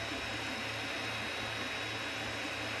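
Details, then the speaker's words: Creality CR-10 3D printer after fitting stepper motor vibration dampers and box-foam blocks: only steady fan hiss and low even hum, no jerky motor growl; quiet running. "the other thing I did is use these foam blocks from the actual box where the printer came this is insane super quiet I can sleep next to"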